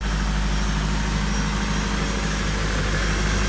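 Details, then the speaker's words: Nissan S13 with freshly rebuilt SR20 engine (Infiniti G20 crank, new gaskets and seals) at first-start idle: steady low idle, even beat, no knocks or ticks; running nice and smooth. "she [Music] lives running good nice and smooth"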